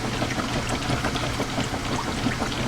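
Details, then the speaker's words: Top-load washer in low-speed agitation with 10 towels, agitator dogs replaced about a year and a half earlier: low steady motor hum under rhythmic water swishing, no knocking or grinding; normal agitation. "And here we are now in low-speed agilation."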